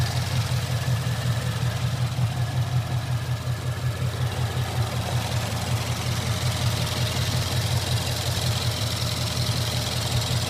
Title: Knocking noise on my mustang gt